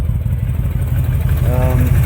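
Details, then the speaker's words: 2005 Honda VTX with Cobra slip-ons, upgraded air intake and rejetted carb (DJ200 main jet, needle slot 4), warmed up: low, even V-twin lope at about 900 rpm with no stumbling or misses; normal smooth idle. "so you'd have to let this thing totally warm up and then all you do is give a listen make sure she's not stumbling too bad if you can hear that or not sounding pretty"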